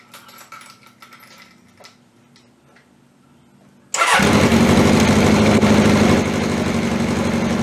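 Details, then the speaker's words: 1981 Honda CB750K, cold start on old, stale gas with the fuel tap first left off: it catches and runs uneven, stumbling, then steadies once the gas is turned on. Fuel starvation. "as you can hear it stumbles and fumbles and everything else and then that first I forgot to turn a gas on again but yeah well no big deal and then uh once I turn to gas kind of quit stumble and fumbling with it"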